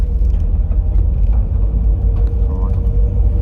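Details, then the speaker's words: Mazda MX-5 (Miata) driving on the road: a faint steady mid-range hum over road rumble; the differential has become noisy, and the owner suspects a rear diff bearing failing ("eating itself"). Cheap rear bushes also noisy. "I drove it and I was like yeah then there's something there I don't recall it being that noise either I think it's a it's a bearing that's just decided to eat itself"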